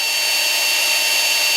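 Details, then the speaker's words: Makita XMU04 cordless grass shear brushed motor, brushes checked, wired directly to the Makita battery bypassing the controller: steady high whine holds level, no surging; motor fine, controller suspected as surge cause. "it's running no problem it's not surging so I suspect that this controller here is not good that's why it's surging"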